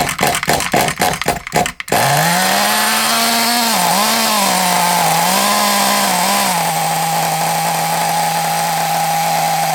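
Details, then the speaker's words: Small nitro RC engine on a used glow plug from a B3, idle screw turned in; catches and screams at high steady pitch, hunting briefly, then conks out when glow starter is removed; owner suspects worn glow plug, possibly tuning. "I think you can normally tell if a glow plugs on its way out cu if you when you take the glow starter off of it if it conks out like what that one just done that normally means the glow plug's on its way out"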